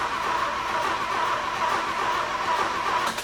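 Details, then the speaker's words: 1950 Willys Jeepster with Chevy inline-six, newly fitted Rochester B carburetor: after valve adjustment, cranking is a steady even beat with no skipped compression strokes (earlier uneven "no compression" rhythm); compression sounds balanced, normal cranking. "Oh yeah. That sounds great."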